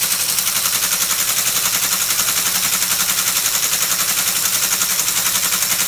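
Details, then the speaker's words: Restored ASR33 Teletype printer motor running at 90 volts after previously drawing over seven amps unloaded: fast even mechanical clatter about four beats a second, no labouring; now drawing around one amp, not overheating, running normally. "okay well it seems to work it's got the power to drive the machine it's not getting hot straight away before 20 seconds and it would have been smoking so it's now drawing just around an amp"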